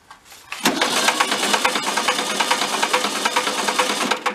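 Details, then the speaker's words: Barn-found circa-1973 VW Karmann Ghia, first time out in about 31 years, cranking: sharp uneven clacks about twice a second; oil pressure builds and holds, no bad rod indicated; slow-returning sticky valve suspected. "so it is building oil pressure by clacking you let it spin for a little bit I'm surprised he hasn't shot a bunch of oil out of the cylinders"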